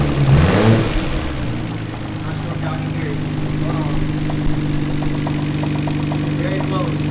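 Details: Nissan R32 GT-R warmed up at idle: steady, fairly even knock over the engine note, about three or four per second; rod knock, not extremely bad.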